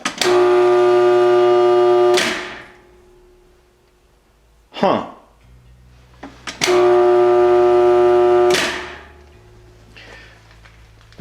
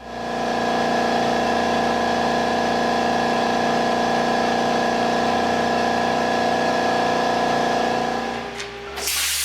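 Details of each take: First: Shop air compressor that is too cold to crank over: two loud, steady buzzing hums of about two seconds each, with no components moving and no speed build-up. The motor is stalled. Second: Smaller backup air compressor patched into shop air system, feeding directly into 80-gallon tank because main compressor too cold to crank: loud, steady motor drone with even pumping hum, no knocks or rattles; running normally while building pressure.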